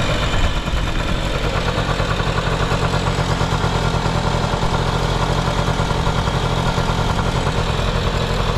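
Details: Vintage Honda Lead 90 scooter (HF05-1025) running check: smooth even low putter at steady idle, no knocks, ticks or rattles; quiet engine, normal idle.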